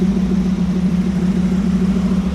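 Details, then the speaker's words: 1937 Buick street rod, new BluePrint 350 crate V8 during break-in, hot with 70 psi oil pressure, idling slightly high: even, steady burble with no misses, knocks or ticks; normal warm idle. "And it sounds good."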